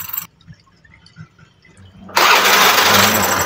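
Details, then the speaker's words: Honda Vario scooter just serviced elsewhere, complaint of rough noise from the CVT side: harsh, gritty grinding over the idle once running; the starter gear was found worn. "n setelah kita titik kita Amati dan kita coba semua ternyata didapati bahwa kesimpulannya bahwa gigi dari Starter ini natap"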